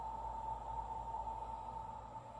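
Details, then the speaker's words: Coleman pressurized lantern after pumping about six times: steady high whistle over the burner's soft roaring hiss, present even on its lowest setting; cause unclear. "This one's making a noise. I don't know if you can hear that."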